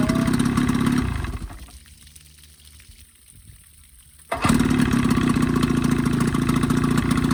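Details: 1985 Evinrude 20hp modified to 25hp two-stroke outboard after full service (head cleaned, new thermostat, gaskets, primer seals, reeds) fixing a coughing, spitting lean sneeze: steady buzz, brief dip, then an even, quick idle; runs clean.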